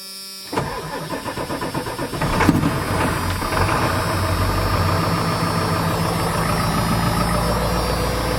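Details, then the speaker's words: Diesel farm vehicle started on one battery with throttle held to the floor because of air intrusion, glow plugs apparently burnt out: slow labouring crank, stumbles into life with lumpy, uneven idle; hard start, cause suspected not confirmed. "Okay, hold throttle to the floor because it has air intrusion and it doesn't like that."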